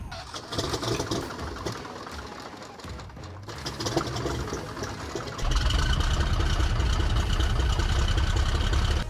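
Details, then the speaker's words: Piper Saratoga, newly overhauled engine on second start attempt after two years sitting: rough couple of seconds, then steady even low idle rumble with no knocking; good oil pressure, low fuel pressure reading possibly gauge fault. "All right, she fired up. I don't want to run her up very much. Everything looks good."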